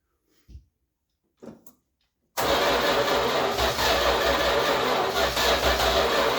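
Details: 1966 Chrysler New Yorker V8, parked since 2005, carb needing a rebuild and fuel drip-fed by hand: a couple of weak cranks, then it catches suddenly and runs unevenly with a ragged beat; not getting enough fuel.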